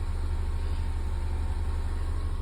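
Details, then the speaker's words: 2019 Ford Mustang EcoBoost, about 51,300 miles, after cleaning and clearing the cylinder 3 misfire code: steady, even low idle, smooth unbroken rumble, no skip from any cylinder; running much smoother. "I just had to clean what was in there, and it seems to be running a lot smoother now."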